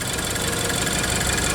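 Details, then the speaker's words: Range Rover Evoque 2.0 turbo Ford direct-injection engine, after replacing both VVT units, timing chain, tensioner, oil, filter and damaged radiator: steady even idle with smooth fine patter, no knocks or rattles; engine repaired, sounding normal. "Mas finalizamos aí o carro, né? O carro tá perfeito. Olha o barulho do motor"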